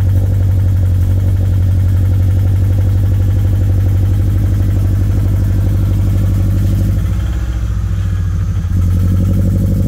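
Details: 2013 Scion FR-S (BRZ twin) bought with a rod knock, original engine before a used-engine swap, at idle; a light uneven knock about four times a second rides under the exhaust note: rod knock.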